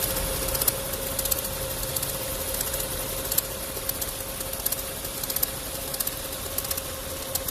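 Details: VW 1.4 TSI (BMY) petrol engine idling: uneven crackling knock/tick first suspected as timing chain, turned out to be a failing water pump.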